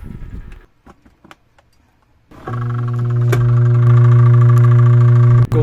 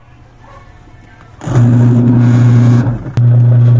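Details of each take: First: Single-tub washing machine wash motor gives a steady loud electrical hum without turning; the pulsator is hard to turn by hand because the dried-out bushing has seized onto the shaft. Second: Single-tub washing machine wash motor after repair of bushing dried of oil and stuck to the shaft, belt refitted: quiet start, then steady even hum with belt driving; previous humming-only drone gone.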